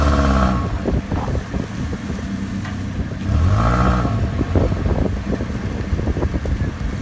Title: clunky noise